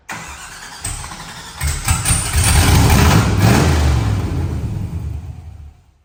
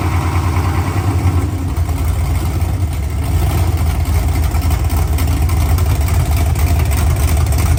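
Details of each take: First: V8 in an OBS truck at first fire-up on open headers, no exhaust fitted, leak somewhere between engine and transmission: loud, lumpy, unsteady beat running like junk; rough running, cause unconfirmed. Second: First fire-up of an OBS truck engine on open headers, O2 sensor reading erratically. Loud, raw, low rumble, slightly uneven and hard to keep running, air-fuel ratio all over the place, but no knocks or ticks. Normal idle.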